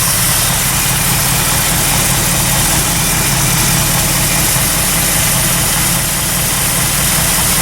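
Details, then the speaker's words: Carbureted engine on a cold start after sitting a long time, fresh fuel, wheels turning: smooth, steady idle with a constant rumble and even beat; normal idle. "No, that sounds sweet, eh? And look, they're moving."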